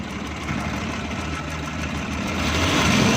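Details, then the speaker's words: 2012 Suzuki Bolan converted from CNG to petrol, still misfiring on both, throttle blipped lightly on and off: uneven, stumbling exhaust beat; mechanic suspects an ignition current short. "ये गाड़ी कह रहे हैं कि पहले गैस पर थी, इन्होंने पेट्रोल पर कन्वर्ट की है, सीएनजी से पेट्रोल पर कन्वर्ट की है, गाड़ी फिर भी मिसिंग कर रही है।"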